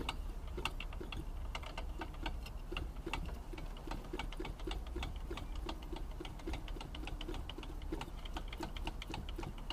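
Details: Engine with a replacement crankshaft that arrived with axial play in the connecting rod: rapid sharp metallic ticking over a low engine drone; the original crankshaft had no noise; connecting rod knock.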